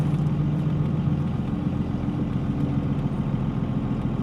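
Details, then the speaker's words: Manual Cummins diesel pickup with rebuilt NV5600 transmission and transfer case and a dual-disc clutch, first drive cruising in second then third gear: steady drone, no grinding or clutch chatter, only power steering pump heard; normal quiet clutch and transmission. "no grinding whatsoever this clutch is actually pretty dang quiet it is a quiet dual disc clutch and I only hear the uh power steering [Music] pump"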